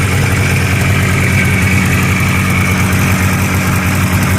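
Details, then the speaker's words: 1985 Yamaha Phazer two-stroke snowmobile, cold-started on choke after a carb cleaning (compression over 100 PSI per cylinder). It buzzes at low idle with a slightly wavering, uneven beat because the low-speed carb tuning is still being dialed in. "we're still dialing in the tuning and the low-speed kind of idle and weird"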